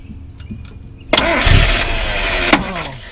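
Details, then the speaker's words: Mazda B2000 truck that wouldn't start, starter tapped with a hammer while cranking: a few light metallic taps, then the engine catches at once and idles; sticking starter. "I'm gonna take this hammer and try to tap on the starter a little bit and see if it engages it because I don't think anything's happening with it"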